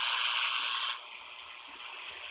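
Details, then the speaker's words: CB radio base station handheld receiver around property: loud harsh hiss and buzz dropping off sharply after a second, heard everywhere but quieter in one spot; local electrical radio interference noise, source unconfirmed. "the most important part of setting up my base station was finding a quiet spot to place my antenna and everywhere around my property you can hear this loud noise"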